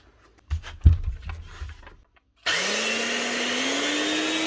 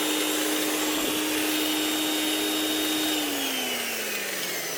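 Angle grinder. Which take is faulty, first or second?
first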